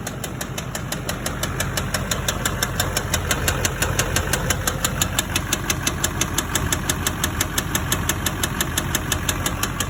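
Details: LBZ Duramax diesel that had gasoline put in it, which contributed to a spun rod bearing on the crank: sharp, regular knock about three times a second over a steady idle; rod knock from spun rod bearing.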